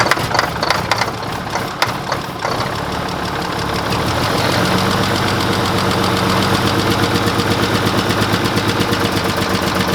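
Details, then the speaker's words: Old Mack diesel truck catching after cranking on two jumped batteries, settling into a lumpy idle with a missing beat; cylinder six is dead with no fuel delivered from the injection pump where the rack is controlled. "the reason it's run like crap it's number six he doesn't have any fuel coming out of right here where I'm controlling the rack"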